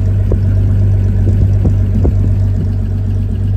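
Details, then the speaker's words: 1980 Toyota Hilux RN30 4x4 with Holden 186 six, just started: steady, even low rumble with only a faint tick, no knock or miss; normal idle, not yet warmed up. "don't know if you can hear that, but that sounds lovely. So good, Hilux fans, so good."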